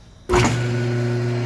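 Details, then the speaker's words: Small single-phase 2 hp electric motor on a normal outlet, after cleaning and lubrication cured a dry, strange noise caused by dirt: it switches on and settles into a steady, even hum with no grinding or rattle, running normally. "Ele tava com aquele barulho estranho. A gente abriu ele tava muito sujo. Fez toda a limpeza, lubrificou todo. Tá funcionando normalmente, galera."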